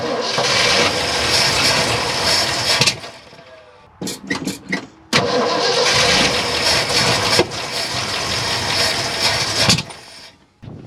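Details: 1972 Ford F-250 truck after sitting about 14 years, spark confirmed; long bursts of starter cranking with an odd catch or two but the engine never picks up and runs; cranks but will not start.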